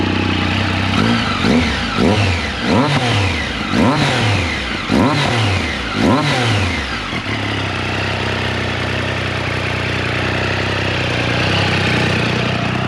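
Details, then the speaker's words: Triumph Street Triple 765RS, newly fitted Spark headers before assembly paste is applied: on repeated revs each blip brings a raspy chuff. The header joints are blowing, an exhaust leak. "go yeah it's definitely blowing you can hear it"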